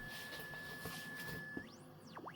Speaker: we can heard the weak signal just fine we cannot heard any noise signals Works absolutely great